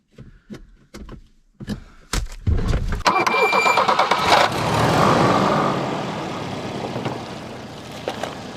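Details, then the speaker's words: 1984 Volvo 240 parked since about 2012: a few clicks, short crank, catches quickly and settles into a steady even idle with no misses; a good runner. "man that's a good runner"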